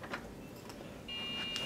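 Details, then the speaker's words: Dell Dimension 3200 desktop that died, powered on on a test bench: a high, steady electronic beep just after power-on with no fan roar behind it. POST error beeps show it fails its startup self-test and won't boot. "we're getting error code beeps so so we're not going to have any luck and getting the other system to come up and be able to get the files off of it so truly there's a problem"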